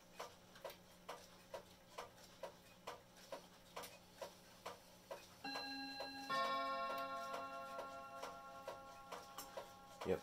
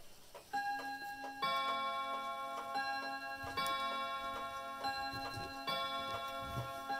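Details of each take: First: Herschede bim-bam mantel clock on three chime rods, reportedly out of beat; even ticking about 133 a minute, then clear two-note bim-bam strikes ringing cleanly on the rods; chime sounds healthy. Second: Herschede bim-bam mantel clock on three chime rods: ticking with uneven spacing between tick and tock plus bim-bam chimes ringing; the pendulum is out of beat, which the owner thinks he can probably fix.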